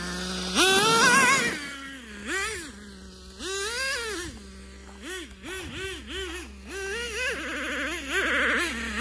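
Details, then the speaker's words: Traxxas T-Maxx two-stroke nitro engine running for the first time in 10 years, hot: high thin screamy buzz revving in quick bursts; running a little lean and needs more tuning. "Needs a little more tuning, obviously. She's a little bit lean. And this is the first time it's run in 10 years."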